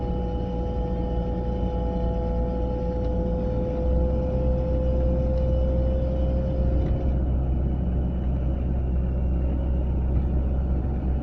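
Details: A 940 driving at about 30–40 mph: over steady road rumble, a faint mid-pitched whine from the passenger side holds for several seconds, then fades; the source is undetermined.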